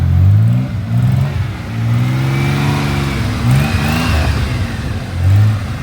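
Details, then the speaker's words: 1983 Chevy Camaro abandoned 15 years, running after chewed wiring was rigged and an exhaust leak fixed. Engine blips up and down cleanly with a smooth, even exhaust note, no puffing or ticking. Normal running. "She's running right now. I guess my wiring rigging actually did something. It's actually running really good."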